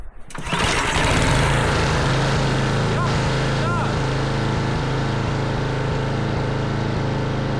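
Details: Craftsman snowblower with Tecumseh engine, electric starter and drive reported broken, after repairs: single-cylinder engine hand-pull started, catches and settles into a steady even run with no misses or knocks; running normally.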